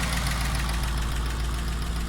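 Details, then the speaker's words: 2012 Chevy Caprice PPV, 6.0L L77 LS with cylinder deactivation, just over 100,000 miles, tick started last week: smooth idle with fast, light clicking from the right bank; owner suspects failed lifter or rocker; valvetrain ticking. "So I'll show you what it sounds like. Definitely coming from the right bank, right around here. This side is quiet. I put my ear up to it, but yeah, definitely a click, click, click right in this area here."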